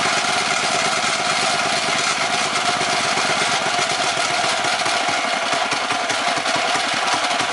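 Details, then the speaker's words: Predator 212 mini bike engine: low, uneven chugging idle with no load, backfires and cuts off; air mixture screw turned all the way out, misadjusted. "all righty so y'all see how the bike start the idle start like getting lower that's when I turned the air MX so you see how it backfired and cut off that mean air air Miss screw is not set right"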